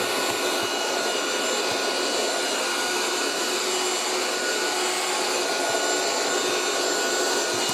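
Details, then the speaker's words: 1980s French Moulinex Aspirateur No1 237/320 handheld vacuum cleaner running while picking up bird mess from the floor: steady high-pitched rush with faint whine, no rattles; quiet, though giving off a strong ozone smell; motor runs normally. "pretty good I like how silent it is as well it's giving off quite a strong ozone smell though"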